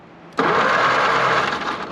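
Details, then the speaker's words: 82-year-old Ford GPW WW2 Jeep dormant since about 1965, first cranking attempt: sudden, even whirring spin holding steady over a second with no grinding or clicking while the belt disintegrates. Normal starter cranking. "the starter actually sounds my goodness that belt's just disintegrating spinning over"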